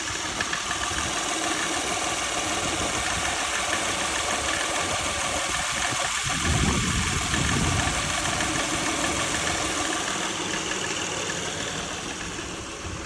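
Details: 2003 Honda Accord V6 running, heard mostly from inside the cabin: dull uneven rattle under a busy engine hum, source unknown; owner notes a smell.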